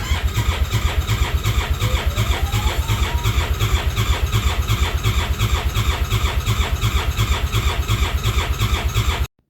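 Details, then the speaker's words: Cheap Arctic Cat Wildcat 1000 side-by-side after reassembly and new battery: lumpy, uneven chuffing about three beats a second with a faint squeal, running on one cylinder despite swapped coil packs and injectors; compression and timing to be checked. "I get it to start but it's running on one coil packs swapped injectors all that fun Jazz check compression"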